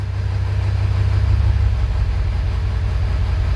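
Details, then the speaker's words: 2000 Ford F-350, 7.3 Powerstroke diesel, 567,000 km, cold start, oil still cold: deep, lumpy, uneven stumbling idle at roughly four pulses a second; rough running from cylinders missing, cold hard-start complaint. "you could hear it's running rough so let's do a quick cylinder contribution"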